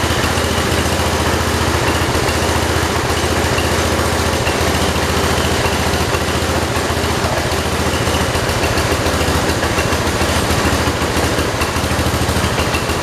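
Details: 1968 John Deere 112 with Kohler single-cylinder engine at low idle: uneven putting with stumbling, skipping beats; the air filter upset the carburetor fuel mixture adjustment.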